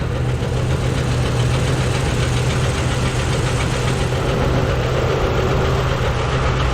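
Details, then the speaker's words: Rough, uneven idle with a deep internal knock, valve cover off. Valves partly dry but none stuck. Owner suspects the cam, or a valve not seating near #4 heard through a hose. Penetrant tried; noise persists. "Could be. It sounds internal. Maybe it's the cam."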